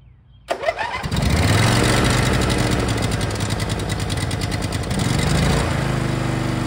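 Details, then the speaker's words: Neglected machine, first start after refitting the battery (about 13.5 V), which earlier only clicked a relay with no ignition: short crank, catches within a second, then a steady, even small-engine run that picks up slightly. "thank you all right that was a successful first start"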